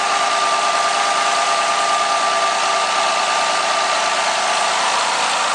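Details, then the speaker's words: 2010 Ford Fusion 3.0L V6 after spark plug change with intake manifold refitted, checked for vacuum leaks: even idle hiss with a faint constant whine, no misses, stumbles or ticking; normal idle. "Make sure there's no vacuum leaks from messing with the lines. Everything sounds good."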